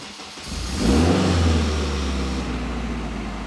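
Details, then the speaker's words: Honda Type R with a Haltech ECU, started via the stock starter button: a short crank catches within a second, flares, then drops to a smooth, even idle, and the starter cuts off as soon as it fires. Normal start. "And the starter just turns right off as soon as it fires up. We freaking did it."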